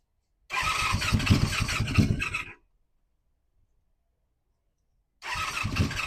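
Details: 1985 Honda Magna V30 V4 motorcycle on first start after carburetor rebuild, JB-welded tank, ignition bypass and radiator install: fires into ragged, uneven clatter about two seconds, dies, restarts equally rough; sounds worse than before the work, cause unknown.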